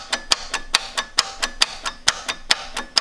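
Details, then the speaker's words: John Deere F1145 diesel, cold start after sitting since July 2017, glow plugs used: quick, uneven starter clicks with no cranking as the gear moves; the battery is dead. "Battery's dead. Hear it? Yeah, the battery's dead."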